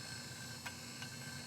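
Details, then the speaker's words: Old SCSI hard drive after cleaning and reassembly: steady whir with a sharp click-clunk about every half second, not settling; controller not communicating, heads suspected, drive considered unsavable. "Clunking and unhappy. And so, I think there's no saving this drive unfortunately."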